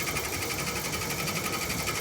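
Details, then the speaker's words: Air conditioner outdoor unit: the fan spins with a steady whir and thin high whine but no compressor hum, as the compressor won't start due to a broken wire and burned-out capacitor. "The compressor won't start if this wire is broken. I think I hear the compressor humming. It won't start."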